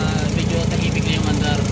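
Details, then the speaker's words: Suzuki Multicab after XADO industrial engine treatment (carbon chroming): previously gravelly, now a steady low, even idle with only a faint rasp from the damaged exhaust; normal idle. "Ang maingay na lang is yung kanyang tambutso kasi sira yung kanyang exhaust. So ayan, after treatment tahimik na yung idling. Okay na siya."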